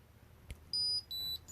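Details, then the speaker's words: Ridgid 18V Octane Bluetooth battery triggered, giving three loud, clean high beeps at different pitches, about a quarter second each, as its locator alarm. "you hit the button it'll start making some loud noises that you just heard"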